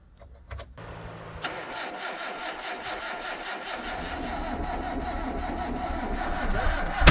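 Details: 1990 Ford Festiva, stock except body modifications, sat over a year, cold start at minus 20 °C: cranks, catches, runs unevenly with noisy valve adjusters, then one sharp pop; backfire on cold start, cause unknown.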